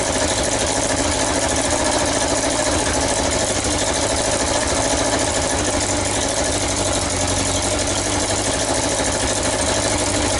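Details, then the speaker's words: Yamaha XJ900S Diversion motorcycle idling after restoration; loud harsh even chuffing with raw blowing edge, exhaust leaking at the front header pipes rather than the manifold. "okay then so I fought it was blowing from the manifold their horrible forging flapping stands you could hear it says that it's blowing from these pipes"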